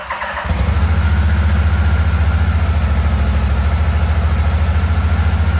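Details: 1987 Yamaha Venture Royale 1300cc motorcycle, first run in a long time, throttle cable not connected, idling on the carburetor: deep thumping idle that stumbles every so often; rough idle with occasional misfire, owner suspects wiring, not confirmed.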